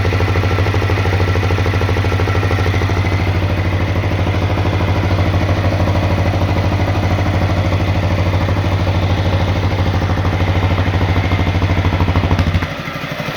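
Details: CRF250L single-cylinder at idle: an even clattering tap about three times a second, like a top-end knock; engine knock, cause unconfirmed.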